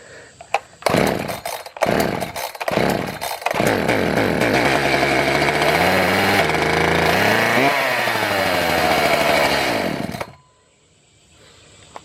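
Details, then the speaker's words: Echo CS 590 (Timberwolf) chainsaw on premix after carburetor adjustment: catches, revs surge up and down toward runaway, then cuts out; fuel problem, bad carburetor suspected. "About ran away there. Try giving a wide open throttle. I think we may have a bad carburetor."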